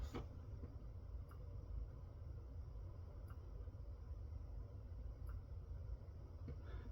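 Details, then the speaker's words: Nuwave 2 Precision induction cooktop, set to medium-high with a pan of water, showing error E1: faint sharp click roughly every two seconds over a low steady hum; intermittent clicking with E1 fault, cause unknown, not fixed. "I'll be quiet here in a second, but you hear it just like pop, clicking, whatever."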